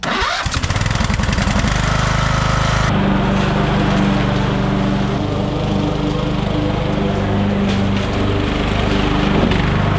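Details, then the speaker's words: Craftsman LT1000 riding mower being built into a racing mower, starter spring and gear bad but motor working; cranks briefly, catches and settles into steady single-cylinder putter, no starter grinding; normal start and run. "so the motor works works pretty well"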